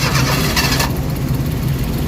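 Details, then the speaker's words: Suzuki DA64 engine just started: cranks, catches, then shaky uneven idle with lumpy low pulse and strong vibration, stalls unless accelerated; also low power. "So makikita niyo nag nag-start ng makina. So ang problema nanginginik. Lakas ng vibration."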